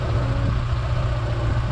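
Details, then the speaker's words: Holden Barina ML, long unrun, idling after a backfire: running better than before but the deep idle is ragged, uneven and stumbling. Rough idle, cause not yet found; owner suspects lack of use and plans to check crankcase ventilation and the reed valve. "Anyway, it's running a lot better than it was. But it doesn't bounce. quite ragged."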